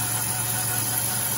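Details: 2010 Caravan van: steady engine idle with a thin, constant high whistle riding over it. It occurs when cold and stops after driving a while warm; the source is unknown and unconfirmed.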